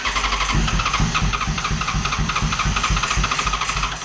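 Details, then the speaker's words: Neglected 2011 Yamaha FZ1 motorcycle, first run after sitting: loud, crisp exhaust pulses beat evenly at a quick idle with no misses or knocks; the bike runs properly. "There we go. It's so loud."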